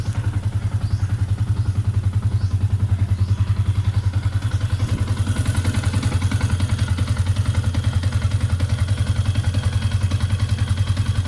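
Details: Yamaha Sniper 150 at idle, in the before/after test around replacing the rubber clutch damper with a Honda TMX 155 part: rhythmic, fairly even low clatter about 158 per minute; engine rattle, loose clutch suspected, not confirmed.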